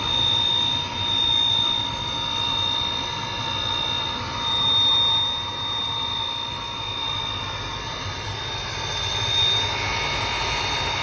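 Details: Riello 40 F5 oil burner running: steady high-pitched squeal over the even burner roar at constant pitch; owner suspects the sealed, non-lubricable motor bearing; squeal.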